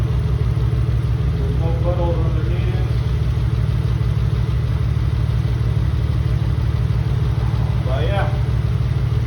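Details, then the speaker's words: Mitsubishi 3000GT VR4 with replacement engine: steady, even idle with a smooth low rumble on all six cylinders, no misses, knocks or odd noises; normal idle. "No odd noises or anything of this kind. Engine sounds pretty good."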